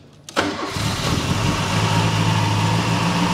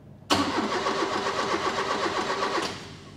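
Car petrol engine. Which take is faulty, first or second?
second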